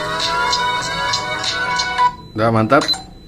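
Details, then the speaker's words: Samsung A04e phone loudspeaker, quiet after dropping into marinade, retested after repair with back cover fitted, flex undamaged: music plays clear and full with no crackle, rattle or buzz; sound back to normal. "dan kita akan coba sekali lagi pada saat pada saat backdoor ini dipasang untuk membuktikan bahwasannya suara sudah kembali normal ya"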